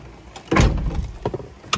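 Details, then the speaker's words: 2010 Honda CR-V whose door locks cycled constantly, suspected from the driver's side, with the driver's door actuator previously replaced: with the key on, a few separate lock clunks about half a second apart, then quiet; no constant cycling. "before I would turn the key on and the door locks would go crazy notice how they're not going crazy anymore"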